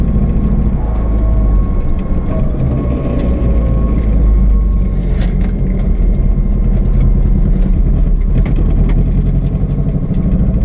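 Loud low engine rumble at idle with uneven, irregular pulses breaking the beat; sounds like a possible misfire, cause not pinned down.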